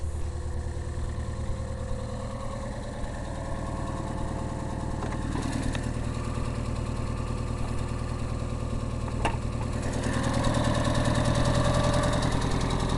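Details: Aro engine at a steady idle with a dull knock repeating about three times a second in time with the engine; internal engine knock, cause not pinned down.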